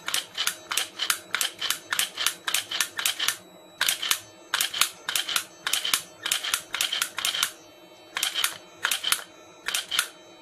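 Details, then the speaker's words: Bench test of rewired Mercedes S-class (S420/S500) ASR throttle body, part 0001418925, powered on: healthy hum with crisp, even clicks about twice a second as the cleaned throttle plate snaps open and shut; normal actuation. "okay the unit is on you can hear a healthy hum okay and the actuation"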